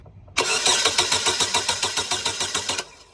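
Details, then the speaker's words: 2016 Holden Barina cranking, crank no start: starter spins steadily about three and a half turns a second but never fires; no injector pulse, ignition module unpowered, blown fuse from a short to ground; PCM fault. "I got a 2016 Barina today with a crank no start. Hi, how are you? Okay, go for it. And stop. I've just confirmed at this point that there is no injection pulse."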